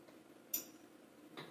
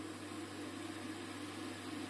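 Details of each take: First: IKEA Tillreda induction cooktop on an Arlec smart socket, level one: two faint sharp ticks about a second apart before heating starts; cause unclear, possibly a self-test. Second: IKEA Tillreda portable induction cooktop heating a pan after more water is added: steady airy cooling-fan whoosh over low mains hum, growing slightly louder at the end as the fan comes back on.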